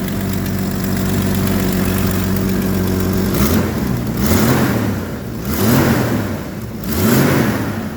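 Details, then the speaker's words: Jeep YJ being restored, first start on a fresh battery, with a worn belt noted: the petrol engine fires right up and idles steadily, then is blipped four times, with a raspy, breathy edge from a suspected exhaust manifold leak. "Oh, yeah. Fire right up. Well, of course it's got an exhaust leak. Right at the manifold."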